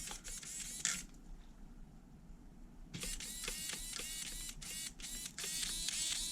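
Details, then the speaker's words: HPI Savage 3.5 nitro RC truck, steering servos just linked to the radio: short, high-pitched whirring bursts as the servo sweeps back and forth, with clean stops and no grinding, plus one loud snap as a servo slams home. The servo works fine. "snap I just heard one of them really slam home you guys see that"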